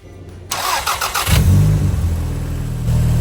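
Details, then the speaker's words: Nissan Frontier in cold weather with a one-year-old battery reading about 12.2 V. Brief starter whirr, starts on one crank and settles to a steady idle; alternator then charging at 14.6 V. Normal engine start. "Now that was definitely enough power to start this car up with one crank."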